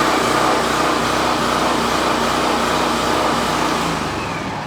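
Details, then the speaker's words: Champion 4000 generator running after carburetor replacement with an $18 aftermarket unit (old carb inoperable despite fuel cleaning); started on choke, slightly choppy, steady small-engine drone easing off as fuel valve shut off to starve it; normal running. "but that's it a running generator $18 carburator from Amazon"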